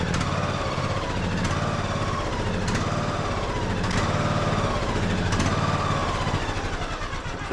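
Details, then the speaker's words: Craftsman YS4500 21 hp single-cylinder tractor: speed rises and falls about every second with a sharp pop at each swell. Fuel-related surging; the tank is to be drained and cleaned and the carburetor checked. "yeah you guys can see having some fuel issues so let me go ahead and get this tank pulled off and drain all that out and then we'll kind of take a peek at this carburetor"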